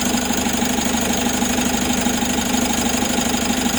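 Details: Mitsubishi 4N41 diesel, first start after replacing the broken oil pump drive gear and oil pump assembly: even clatter at about three pulses a second, steady and regular, no knock or rattle; normal idle.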